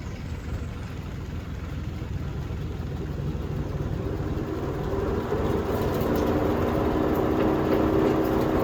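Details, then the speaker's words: Liberty 3-point tractor wood chipper after repair of its noise: tractor note climbs smoothly as the chipper spins up, steady and even with no knocking or squealing; chipper running healthy. "So I think this thing sounds good, works good. Really economical repair."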